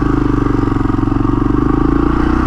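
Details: 1982 Honda XL500R single kickstarted on a warm day with choke: steady, even thumping idle with no misses or knocks; healthy, warmed-up engine, normal idle.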